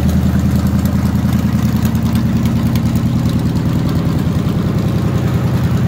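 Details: 1946 International rat rod pickup, Chevy 350 V8 with four-barrel, automatic, electric cooling fans: steady, even idle with deep regular lope, no knocks or misses; normal healthy idle.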